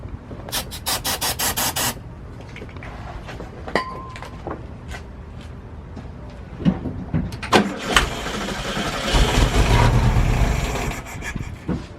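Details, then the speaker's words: VW Bus first start with new battery and starter fluid: starter cranks, engine catches for a couple of seconds then dies; fuel starvation, with fuel leaking from rotted rubber lines under the tank and no gas reaching the carburetor. "You saw it started up and ran for a second. I didn't smell any gas coming from like the carburetor. And I looked underneath and we got a leak."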